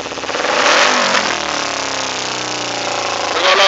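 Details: 2008 Kawasaki Ninja 250R revved, revs hang and sink back only slowly instead of snapping to idle, then a pop; it sometimes sticks at 5,000 rpm and idles at 2-3,000 rpm with a raw-fuel exhaust smell; owner suspects rich mixture needing rejet.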